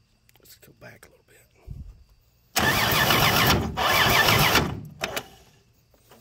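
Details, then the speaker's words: Free 239 3.9-liter V6 first start, fuel poured into carb via homemade adapter, oil just added; cranks, catches about two seconds, stumbles and dies; hard starting from excessive ignition advance. "okay got too much advance there don't i"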